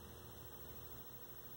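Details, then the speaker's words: 1974 Zenith 17" Chromacolor II colour TV during servicing: constant low mains-hum buzz under faint hiss with hum bars on screen; a power-supply filter (can) intermittently opening is suspected, not confirmed. "in the power supply it looks like a filters messing up because it gets hum bars when that happens"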